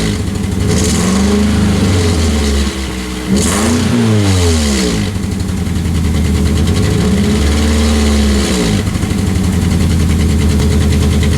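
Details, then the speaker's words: 2003 Pontiac Vibe GT with coil-on-plug ignition and a misfire (P0303 code, cylinder 3), before repair; uneven, lumpy, loping idle through a couple of revs, muffler shaking, sounding like a Subaru, possibly from a failed ignition coil. "a little bit like a Subaru if I'm honest but it's not supposed to sound that way"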